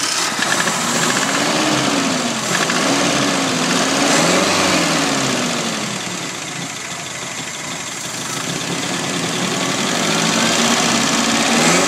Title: Nissan z22 rod knock